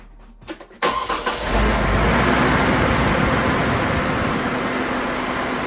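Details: 2002 GMC Envoy that had a loud, jet-like cooling fan and code P0495 (fan RPM too high) from a bad fan clutch. After the fan clutch is replaced, the engine catches and settles into a steady idle with an even fan whoosh and no roar; the fan sounds normal.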